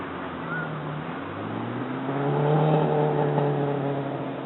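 Four-cylinder revs up and settles with a raspy puffing edge on each pulse that follows the revs, typical of an exhaust leak ahead of the cat.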